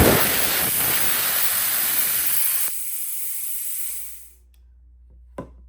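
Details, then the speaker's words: Plasma cutter, turned down, powered by a Taramps 12,000 W car amplifier, cutting thinner metal: steady loud arc hiss under three seconds, then it abruptly drops out as the small reset breaker trips; owner may have to bypass it. "Well, it will cut, but it keeps tripping that little breaker guy."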